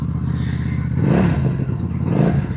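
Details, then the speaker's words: QJMotor SRV250 250cc V-twin cruiser with manual clutch and stock exhaust; deep, lumpy twin burble swells in two quick throttle blips and settles back evenly; normal, pleasant V-twin sound. "Warna oranye, Harley Davidson style, V-Twin. Bunyi dia pun sedap. Dengar bunyi sikit. Bunyi V-Twin."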